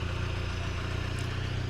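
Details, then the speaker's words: 1987 VW MK1 Cabriolet idling after in-tank fuel pump replacement: low, steady idle hum with even pulse, no knocks, misses or whine; normal idle. "Well, that's it. Cabby's running again. I'll get the seat put back in, but she's purring like a kitten now."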